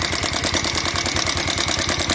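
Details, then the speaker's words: Bajaj Pulsar 150cc on its stand at idle: sharp, even khat-khat ticking about nine a second from the top end; mechanic says it is not bearing, piston or rocker; cam chain tensioner tightening next, cause not yet confirmed. "আপনাদেরকে আমি উপর থেকে আমি এই আওয়াজটা মেরে দেখাবো যে এই আওয়াজটা, খটখট আওয়াজটা মনে হচ্ছে কেরিংয়ের, পিস্টনের, রকারের, কোনো কিছু না, ঠিক আছে।"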